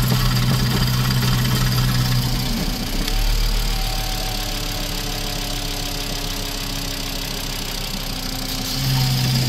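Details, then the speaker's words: VW 2.5 idling with the oil cap off and debris found inside: rough idle with a quick, fairly steady knock of about four beats a second over the engine hum; engine knocking, cause not determined. "Seen anything like this? It's like knocking or banging or something."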